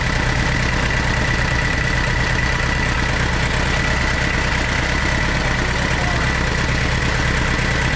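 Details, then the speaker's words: Tata Sierra/Estate indirect-injection turbo diesel, warming up at idle after a glow-plug cold start following body restoration: a steady, clattery idle with even combustion knock and no misses; sounds healthy. "വണ്ടി സ്റ്റാർട്ടായിട്ടുണ്ട് കേട്ടോ. ടർബോൻ്റെ ഒരു ശബ്ദം കേൾപ്പിച്ചു തരാം."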